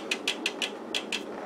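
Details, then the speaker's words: HP 34401A 6.5-digit multimeter with faulty, jumping AC voltage readings during full self-test: six crisp relay clicks at about six per second in a quiet room as relays cycle; test then reports error 621. "can hear the relays clicking and it's telling us at this an error"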